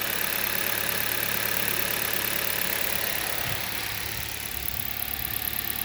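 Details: 2011 Hyundai Solaris G4FC, 166k km, cold start at 15°C, raised warm-up idle: even and smooth, light tick, no knock; timing chain, phaser and valve replaced; knock appears later when warm.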